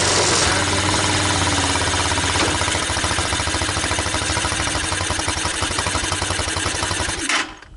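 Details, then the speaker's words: TaoTao ATA200D ATV, single-cylinder: steady fairly quick idle thump, then dies abruptly when shifted into reverse; stalls when put in gear. "It's going to stall. That was reverse, but it did go into gear."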